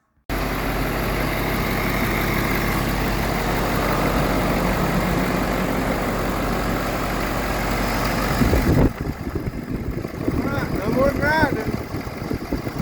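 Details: 2014 Ford F550 6.7 Powerstroke diesel after fan clutch replacement: steady, even diesel idle with low smooth beat and no grinding or scraping underneath; sounds healthy.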